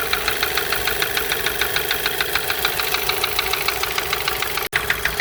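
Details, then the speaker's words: MK5 VW Jetta GLI FSI parts car idling after sitting three years, with a rebuilt cylinder head after a seized cam journal; quick even light ticking from a rocker (valve) cover not fully bolted down, no bottom-end noise. "It's coming from the rocker cover. I didn't like fully bolt it down, so all that noise is coming from that."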